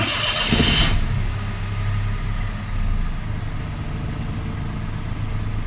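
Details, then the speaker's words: 2005 Toyota Passo with intermittent no-start, after restoring a good ground wire (brown) to battery negative: cranks briefly, catches within a second and settles into a steady, even idle with no misses or knocks; normal start. "Yep, now we have a good ground, and this car should now start."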